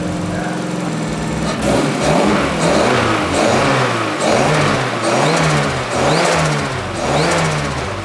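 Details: Mazda Miata NA 1.6 turbo (ISR kit) after upgraded fuel pump and new injectors installed: catches and settles to steady idle, then several clean, even throttle blips; runs healthy.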